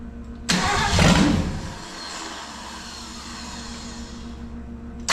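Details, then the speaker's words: 1965 Ford 289 4-barrel V8 (225 hp) on an engine stand for a 1955 Ford pickup, first fire-up with no exhaust or radiator: catches with a loud open-pipe bark, then sags and stumbles, unable to idle due to a big vacuum leak. "um it's not idling yet we've got a big old vacuum leak back here that we've got a plug and we need to get a radiator and exhaust and everything else on it too"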